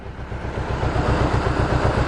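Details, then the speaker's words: Mercedes 190E with a 2.0 M102 petrol engine that sat over three years, just after a fuel pump change: a steady idle with an uneven, loping beat and the engine rocking noticeably; rough idle, cause not evident. "you wanna start the engine now you're going to hear how it's running a bit lumpy"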